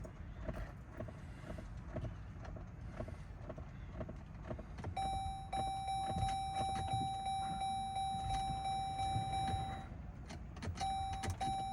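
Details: 2017 Chrysler Pacifica at 143,992 miles. Two days after an oil change it cranks but won't start: the starter spins steadily for several seconds and it never fires. The battery is good (new last August), and jumping it and swapping fuses and relays didn't help.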